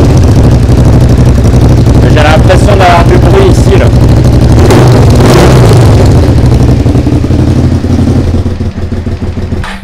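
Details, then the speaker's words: Suzuki SV motorcycle being restored, first start, running poorly: loud, blatty running with sharp chuffing on each pulse and raspy revs. Exhaust leak with noise not only from the silencer; the header pipe moves and seems to have been modified. "j'avais l'impression d'avoir une fuite une fuite au niveau de l'échappement là j'ai l'impression que le bruit de l'échappement sortait pas que par le silencieux"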